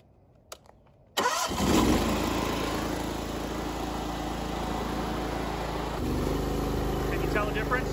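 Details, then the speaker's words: Gas-engine pressure washer with CAT pump, after repair for low pressure, pulsing and cavitation: engine catches after a quiet second and runs steady and even, hoses no longer jumping, no cavitation; normal running. "yeah it's back to normal good no cavitation it's not jumping the hoses are not jumping anymore so that was the problem"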